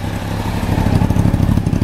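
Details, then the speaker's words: 1993 Honda CBR900RR, out of museum storage, aftermarket exhaust, jetting dyno-tuned after running slightly rich: steady, even low putter with no knocks or misses; smooth healthy idle. "he actually had it just a little bit too rich and so it's running perfect now"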